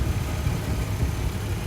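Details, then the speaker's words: Jeep Cherokee 3.7 V6 idling, heard from underneath: deep, steady, even rumble with no ticks, knocks or misses; condensation not smoke from exhaust; original cat with new front exhaust section; normal healthy idle. "that's what the mercedes lacks but when you listen under there it is just sweet as a nut"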